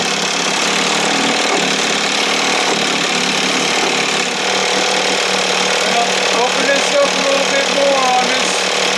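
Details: 1968 Evinrude 6 hp two-stroke outboard, restored, running on the stand, feeling warm: busy, high-pitched buzz at an even speed without stumbling or cutting out; running healthy.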